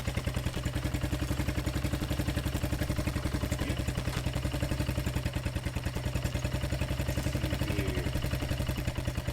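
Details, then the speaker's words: XR single, first start after rebuilding from a thrown timing chain with bent valves and damaged timing gears. Fast idle with a sharp, even top-end tick about four a second, and it then stalled. "Interesting. It runs, but something doesn't sound right. Sounds like there's something going on in the head."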